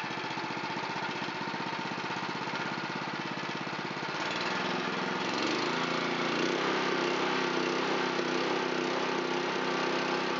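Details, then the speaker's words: Honda GX270 on a NorthStar water pump that sat unused, after carburetor bowl cleaning, started on full throttle with choke: runs a bit ragged for a few seconds, then settles into a steady, even putter with no misses; normal idle. "I like to use full throttle with choke. There's a nice idle."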